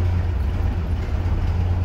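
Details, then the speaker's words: GAZ-69A, first start after crankshaft replacement, running on electronic ignition; deep even low idle with a soft steady pulse, no tapping or stumbling, healthy. "когда с электронным зажиганием как работает вот это номер а оно все равно работает"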